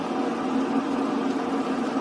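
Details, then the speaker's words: Reinberg electric kettle after power switch replacement, water at a full rolling boil: steady dense rumble with low hum before auto-off switches the kettle off. "جوش کردن شروع شده است و کتری خاموش است"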